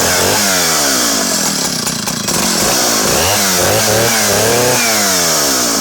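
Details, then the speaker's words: Vintage Partner R12 90cc two-stroke chainsaw with the adjustable silencer baffle closed completely off. Revs up and down repeatedly, the bark muted, rounder and much quieter; normal running with the baffle closed. "you can close the exhaust completely off there so you just how much quieter that made the engine so intriguing intriguing feature"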